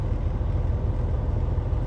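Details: Air-brake truck, parking brakes applied, wheels chocked, diesel at about 600 rpm idle: a deep, even idle with a soft steady pulsing as the air compressor builds pressure from about 80 to 85 psi before the build-up timing test. Sounds healthy.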